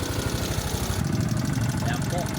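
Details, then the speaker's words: Yamaha Mio Soul i125 scooter idling with the belt drive cover removed: light quick tick over the beat; worn camshaft bearing let clearance develop at the tappet adjuster, causing valvetrain chatter. "po ito pero may konting lagatik"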